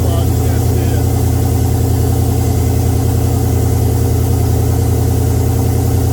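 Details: Oldsmobile 442 V8 just after first start following rebuild (new cam, pushrods, oil pump, valve springs, heads, gaskets); deep even burble with steady low lope, no knocks or ticks; oil pressure 92 psi.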